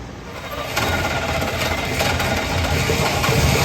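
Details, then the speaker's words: 1972 Chevy C10 small-block V8, start after rescue with a better starter fitted: rough, lumpy, uneven idle with irregular pulses. Owner suspects ignition timing, not set exactly; plans to adjust the distributor. "it runs it ain't happy but it runs I'm sure a lot of that has got to be time and timing issues cuz I know it's not set exactly but cranked up and ran"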